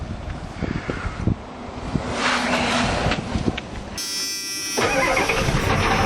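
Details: Cold start at -12°C of a 1989 Ford F150 with a 1986 6.9L diesel, C6 3-speed, 2.73 gears, 4-inch true dual stacks with resonators only; cranks after the relay click, catches and settles into an even knocking clatter at idle; normal cold start and idle.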